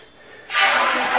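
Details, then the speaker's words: Farm building water system, compressor in the basement set to about 45 PSI (up to 140): sudden steady hiss of compressed air filling the pressurized water tank; the hissing stops when the tank is full. "so when you hear it stop hissing tank is full"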